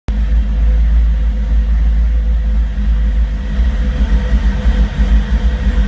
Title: Rough idle